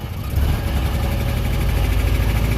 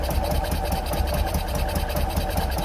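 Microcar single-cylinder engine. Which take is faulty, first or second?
first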